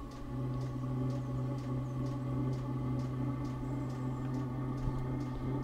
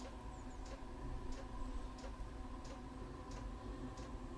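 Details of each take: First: Chinese diesel heater with a 6-metre exhaust extension through a sand battery: low steady hum, faint whistle on top and fuel pump ticking about twice a second; exhaust whistling, running better after a suspected soot blockage, cause not confirmed. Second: Chinese diesel heater with a 6 m exhaust extension, which had sooted up and failed to start: crisp, evenly spaced dosing pump ticks roughly every two-thirds of a second over a quiet hum; pump delivering normally.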